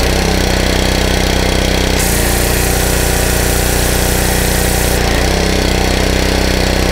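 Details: Honda 5 hp GC160 (model uncertain) pressure washer engine that had been surging with weak pressure, after new filter, spark plug and carburetor cleaning: steady, even drone with no hunting or surging; running cleanly at a stable speed.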